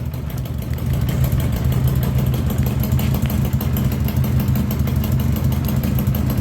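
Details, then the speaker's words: 1982 Honda GL1100 Goldwing Aspencade, sat three years, first start with Marvel Mystery Oil in carbs; loud, stumbling idle with raw blatty exhaust through rust holes in the bottom, smoke puffing, carbs not yet tuned. "Uh the owner did tell me the exhaust had some rust holes in the bottom. So it is a little bit loud, but it's idling. Not very well,"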